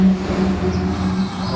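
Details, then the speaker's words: Yamaha Mio i125 scooter rear wheel after replacing broken rear wheel bearing: steady smooth low hum, no grinding or rumble as wheel turns; normal bearing rotation. "na po siya umiikot na uli ng maganda"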